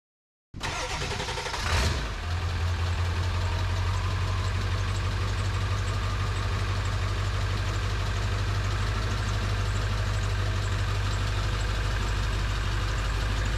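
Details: Ford 7.3 Powerstroke, first start after new KC turbo, plenums, up pipes, oil crossover and fuel bowl reseal: brief crank, fires, settles into a deep, steady idle, even beat, no knocks. Owner notes much stronger, idle changed, perhaps crossover tube.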